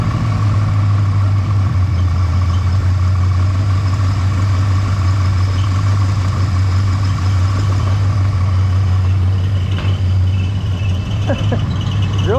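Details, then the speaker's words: 1970 Ford Falcon barn find, engine formerly frozen after 29+ years standing, newly fitted Chevy glass-pack exhaust, idle just turned down: a steady, even low rumble with no misses, knocks or ticks; healthy idle. "there we go headlights are adding I like it sounds good happy it's idling"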